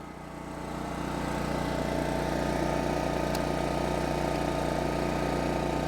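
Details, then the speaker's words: 1980s Kawasaki GA2300A 2300-watt generator, single-cylinder, after repair: it settles into a steady, even thump around 220 beats a minute with no misses or knocks. Normal running. "Look at that. That's awesome. The old girl runs."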